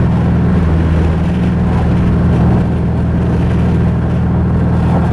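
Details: Mazda 3 engine after it blew following a clutch dump: deep, heavy droning idle with a lumpy, uneven throb, sounding like a Subaru; rough running after internal engine failure.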